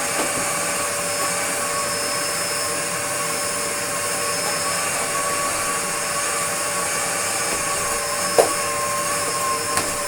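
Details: Restored Dyson DC02 DeStijl with suction restored, cleaning a floor: steady high motor whine with an airy rush, even pitch throughout and no rattles or surging. Healthy, normal running.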